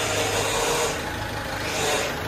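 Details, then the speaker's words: Ford Fiesta 1.4 TDCi with Durashift gearbox, after an engine rebuild, idling: faint whirring hiss over the engine from the power steering pump drawing in newly renewed steering fluid; power steering pump noise. "direksiyon yağı yenilediğimiz için kutunun içerisine alıyor yani ereksiyon yumuşuyor Bu yüzden ses yapıyor"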